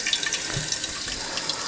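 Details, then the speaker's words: American Standard toilet that keeps running and won't shut off: a steady hiss of water keeps flowing into the tank. The fill valve is bypassing and probably needs replacing. "it's an American standard toilet it probably just needs a new fill valve oh yeah she's bypassing"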